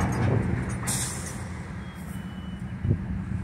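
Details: CSX freight train starting as the locomotive brakes are knocked off. A sharp burst of escaping air comes first, then a dull clunk as the slack runs along the cars over a low rumble, with the brake cylinder moving. A normal air brake release.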